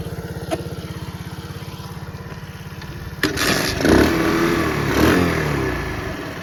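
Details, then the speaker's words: Restored Honda CT70 with four-speed: steady even putter at idle, then picks up smoothly and revs cleanly with no knocks or rattles; a healthy little engine. "i restored a couple ct 70s this one's got the 110 leaf on engine electric start the blue one's got the 70 cc engine in it both four speeds get started so you can hear how it sounds"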